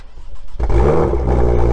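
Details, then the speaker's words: BMW M2 (N55) with M Performance exhaust on cold start after the exhaust tips were removed: strong cold-start rev, clean exhaust note, no metallic vibration or buzz, confirming the tips caused the noise. Normal cold start. "all right so as you've heard no metallic vibration noise was presence meaning that the tips must cause this noise"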